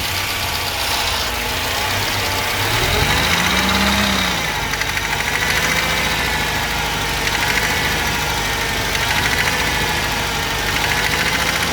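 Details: Mercedes 190 W201 M102 2.0 petrol engine idling with a dull, repeating knock under the running note that persisted after a timing chain replacement; teardown found a spun rod bearing on cylinder 3, piston pin apparently fine.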